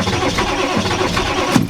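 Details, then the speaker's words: 1995 Ford F-350 XL 7.3L Powerstroke turbo diesel, sitting since November, icy cold start, not plugged in: long steady cranking never fires; owner suspects glow plugs not all working and block heater needed. "Nope. Sorry. Told you guys she won't start. She never will. Something's wrong."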